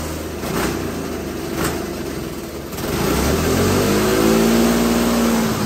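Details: Homemade hydrogen combustion engine with its injection water replaced by diesel, hydrogen turned almost fully off, nearly 90–100% diesel at full RPM and throttle: engine note rises and holds with hard rattling and shaking, heavy knock and smoke, yet still running.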